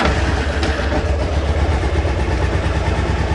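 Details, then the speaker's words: Cold Honda CB600F, carbs suspected running too rich (high fuel level, or plug, cap or HT lead suspected), on choke and hard to start: low, uneven four-cylinder throb with a wavering beat; rough running. "So, it's sounding a little bit better on choke, of started. So, I'm having difficulty starting it now."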